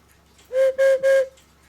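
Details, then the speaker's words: Swiss-style German cuckoo clock whistle box after cleaning debris off the reed and back board, board held in place and blown by mouth: three short, clear, steady whistle notes. It now sounds properly. "it's easier to blow on now and it's actually making a noise so we can glue this thing back on and we should be good to go"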